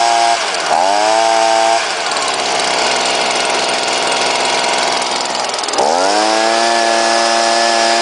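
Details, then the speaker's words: Leaf blower rated 140 mph, started after priming, catches and climbs smoothly to a steady high buzz, drops back, then revs up clean again; a healthy two-stroke. "so this is a warm start see how it runs on a cold start"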